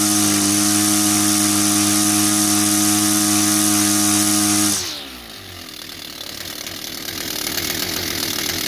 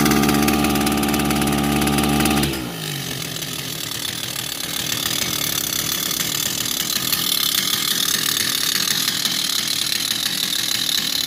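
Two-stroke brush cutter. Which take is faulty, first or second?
second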